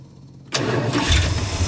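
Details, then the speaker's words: 1977 Dodge motor home with 440 engine revived after sitting for years: fires straight into a steady, even low idle without stumbling; normal start. "it's been running for a little while now about 10 minutes actually sounds pretty good"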